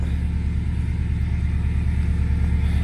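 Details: 1997 Subaru GC8 with STI engine swap, just after first start in a long time, in neutral: deep steady flat-four exhaust rumble pulsing about three times a second, even, no knocks; sounds great.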